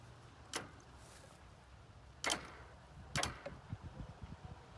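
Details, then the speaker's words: Kawasaki KZ1300 motorcycle, powered from a truck: a few sharp isolated clicks about a second apart with no cranking; starter circuit draws power but won't spin, owner suspects a bad connection or faulty relay. "doing that i don't know how much you can hear i mean it's definitely drawing some power i wonder if i'm not got a good connection um or we got a relay that's mad somewhere"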